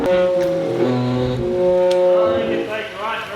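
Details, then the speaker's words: Nissan S15 Silvia on newly fitted, lowered coilovers rolling around the yard: a loud moaning groan that wavers in pitch; front tyre rubbing the coilover after it settled while driving. "so what's happening is the wheel is actually just barely touching the coil over it wasn't when we had it sitting but when we went driving coil over se"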